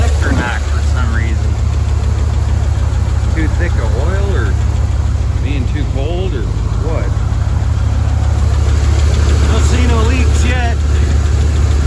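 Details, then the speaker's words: Dodge 5.9L V8 after timing cover gasket job, harmonic balancer pulley looking wobbly, no leaks yet: steady idle with quick regular ticking, likely lifter tick, plus intermittent chirps the owner blames on belts needing replacement. "she's alive a little chirpy because i need a couple of belts looks a little wobbly ain't leaking yet"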